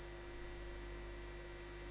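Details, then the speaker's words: Fenton Weill Bass 15 valve amp with no output; low steady mains hum from speaker with no signal shows later stages work; fault traced to first EF86 stage, 194 V on anode, zero volts on cathode, valve not drawing current. "and you can hear the hum which tells you that the rest of the amp's working okay"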